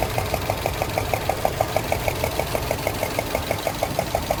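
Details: 2007 Subaru Legacy GT, EJ255 engine, warm idle: sharp, even tapping about six a second over steady idle, occurring when warm; cause suspected, not confirmed.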